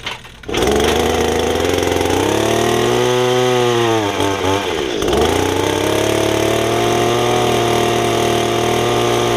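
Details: Estate-sale Echo two-stroke hedge trimmer, before its Walbro carburetor rebuild, with brittle fuel lines; good compression: runs rough and hunts, revs sag and nearly die then pick back up; poor running, unsteady idle, owner thinks it needs carb cleaning.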